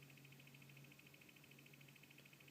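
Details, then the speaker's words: Valentine V1 radar detector powered by an Escort Redline Smartcord: a quiet high-pitched tone pulses rapidly over a low hum. This fluttering comes from the mismatched power cord, though the detector still alerts. "There's this weird kind of fluttering sound in there. Yeah, I don't know if that's good for it or bad for it or what, but if we just give it a quick shot."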